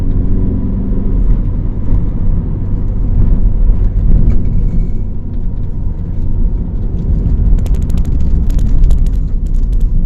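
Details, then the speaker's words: Chrysler PT Cruiser cabriolet, warm, after misfires blamed on dirty injectors and possibly intake: deep, even rumble pulling uphill at 60-70 km/h with no crackle or stumble, even when accelerating; runs clean under load. "Je sais pas si tu l'as vu mais elle marche mieux qu'avant."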